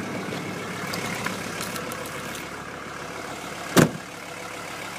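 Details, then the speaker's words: CUCV military diesel truck (M1008/M1009 family) after a 20-degree cold start with manual glow plug button, idle raised by switch, oil pressure good; even low rumbling idle with one brief bang as it warms normally. "Again, that's a 20-degree cold start. Not too bad."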